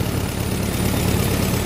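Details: Farmall M tractor with electronic ignition module and fuel filtration to the carburetor, idling normally after a short drive: steady, even low rumble with no misses, knocks or surging, "purring like a kitten."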